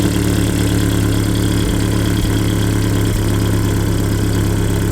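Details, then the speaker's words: Land Rover Series II petrol engine, idle speed adjusted at Weber carburettor after running a fast idle: steady low idle with slow even beat, no stumbling or hunting; idle speed now sounds right. "That's better, I think. Okay, I think I'll leave it at that."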